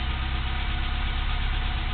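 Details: 1987 Toyota 4Runner SR5 with 22RE engine and 5-speed, after swapping in a used A/C idle-up VSV (vacuum switching valve): petrol engine idles down low, steady and smooth with no misses or knocks; normal warm idle.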